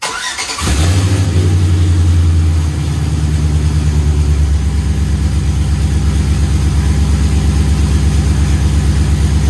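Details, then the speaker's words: After fitting a new water pump, thermostat, hoses and belt, the "cat eye" engine is started on a chilly day: it catches first crank, revs briefly, then settles to an even, steady idle with no knocks or squeals, and there are no leaks. Normal start and idle. "we finally got it on up and running everything's back together no leaking"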